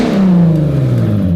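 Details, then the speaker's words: VW Caddy with a swapped-in R32 engine, revving with no exhaust system fitted. A raw, very loud blaring rev with a deep booming roar and nothing muffling it; excessive exhaust noise before a custom stainless exhaust is built. "That that is antisocial. I think we can all agree that is too loud."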